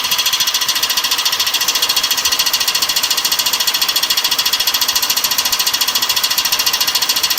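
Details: BMW E46 engine at idle: fast, very even metallic tapping over the engine. Check-engine light stays on and diagnostics show no fault. Owner says he found air leaking under a gasket. Cause of the knock unconfirmed.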